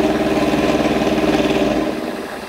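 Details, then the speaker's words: Milling a V-slot in a float lock vise jaw on a lathe, small cuts with slow feed: steady buzzing cut with fast rattling chatter because the work isn't held rigidly. "now only going to take small cuts because the work is not as rigid as I would like so there is a bit of chatter as you can hear"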